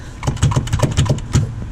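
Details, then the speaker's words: 1991 Mitsubishi Galant VR-4, turbo and E85, on a Quick Jack: driveshaft rocked by hand gives about eight dull clunks in just over a second from loose, worn carrier bearing bushings; owner suspects this is the noise. "Also, where I think my issue is, it's actually the drive shaft. God, that actually sounds like it."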